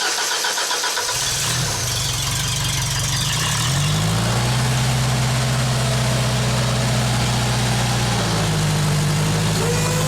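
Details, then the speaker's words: 1995 Genie Z45 lift, started from platform controls during stall diagnosis: quick crank, catches at once and settles into a smooth, even idle; it later dies when trying to raise the platform. "Let's start it. Okay, it's running."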